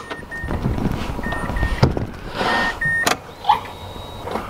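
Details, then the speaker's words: Mazda RX8 13B rotary after the fuel pump was replaced (reinstalled after being fitted the wrong way round). Short high whirring priming bursts; the pump now pumps fuel, whereas it wasn't before. "get the pump switching on now so I'll give it a couple of primes and as far as I know now that's pumping fuel out whereas it wasn't before"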